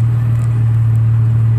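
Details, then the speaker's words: 2002 Nissan Xterra 3.3 V6 after replacing all six injectors for a random P0300 misfire: smooth steady low exhaust drone at idle, no more puffing or backfiring; runs evenly. "really good no more that puffing backfiring that backfiring but that suction sound when you get a mess but it's nice and smooth so I'm happy with it"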